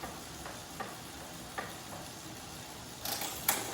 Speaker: Okay, start. Is it recording? Yeah, You hear the clicking noise? yeah. If I sit up, no clicking noise. Normal position, clicking noise.